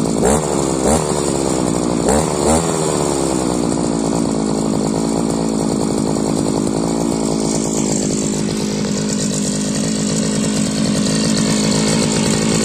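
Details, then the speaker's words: Modified Chinese brushcutter fitted with a 43 cc cylinder, keeping the old exhaust from the larger-displacement cylinder: high, buzzy two-stroke wail held steady, clean and crisp with no misfires; sounds good so far, power still to be seen. "Nos, így szól ez a 43 köbcentis henger. A kipufogó maradt a régi, a nagyobb köbcentisé. Egyelőre jól szól, meglátjuk milyen ereje lesz."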